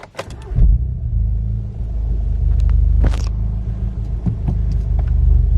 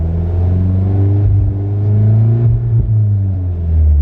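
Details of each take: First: VW Golf GTI with a larger turbo on the standard map, owner suspects fuel starvation as it splutters around 3,000–4,000 rpm coming on boost: cranks, catches and settles into a steady even idle with no miss; idle healthy. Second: VW Golf GTI with a big turbo on the standard map: revs climb, then it stumbles and cuts out briefly a few times as boost builds around third and fourth. Misfire under boost; owner suspects fuel starvation, unconfirmed.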